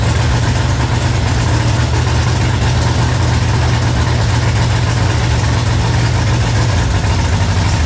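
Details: 1966 Mustang with a 5.0 302 roller V8, first start after cranking trouble: deep, steady low rumble at an even idle with no misses, ticks or knocks; the V8 runs smoothly.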